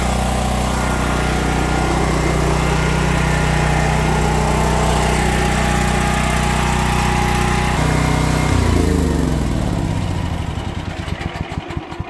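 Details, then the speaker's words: Generator that ran a few minutes then died, after cleaning the clogged fuel valve screen restored steady fuel flow to the carb: choked start, then steady even drone without surging or stumbling, switched off and winds down; normal running. "So that did the trick, guys. That's all you need to do."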